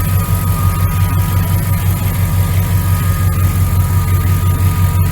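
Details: 1999 Dodge Ram 1500, 5.9L V8 gas, idling after a new starter, belt tensioner and idler pulley: steady, even low rumble, about three pulses a second, no knocks or squeals. Motor sounds good; normal idle.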